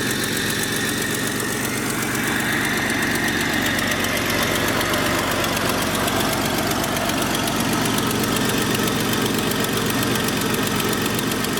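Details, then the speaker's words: Jeep after a new radiator, power steering pump, belt and harmonic balancer plus a cone filter: even settled idle with a steady low hum, no knocking or belt squeal. Runs fine, though the oil pan gasket leaks. "Sounds like there's a slight leak, but she's running alright. At least everything that we worked on seems to be holding up so far."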